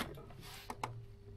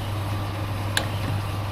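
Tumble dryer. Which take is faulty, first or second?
first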